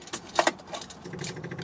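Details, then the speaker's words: 1974 MGB sitting since 2007, first power after fixing a bad battery cable connection: after key jingle, the electric fuel pump kicks on with light rapid ticking that doesn't slow; no fuel is reaching it, so it was shut off to avoid burnout. "all right we do i hear the fuel pump kick on i don't see that it has any fuel so i'm going to cut it off there because i don't want to burn it out"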